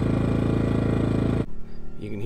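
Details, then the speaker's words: Small 2000 W inverter generator powering a camper air conditioner, no hard-start capacitor fitted: steady engine drone abruptly cuts out about 1.5 s in as the compressor engages; generator bogged and shut off. "maybe you could see in the other video the little red light came on which means that it was drawing too much and it bogged the engine down shut itself off"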